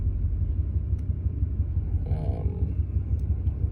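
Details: 2001 Ford F150 at idle: uneven lope with random stumbles; runs perfect cold but acts up at operating temperature, spark advance and short-term fuel trim jumping; random misfire, cause not found.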